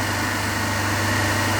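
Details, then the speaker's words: Three-phase induction motor coupled to DC compound machine, running unloaded with third phase cut (single phasing); phase voltages about 220–230 V, third-phase current zero: loud steady low hum with strong mains buzz. "So we will cut one phase, means third phase of that machine, and take reading correspondingly."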